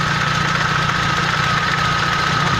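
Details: Euro 3 engine idling with a fast, regular light knocking over the engine note, attributed to a broken timing sprocket.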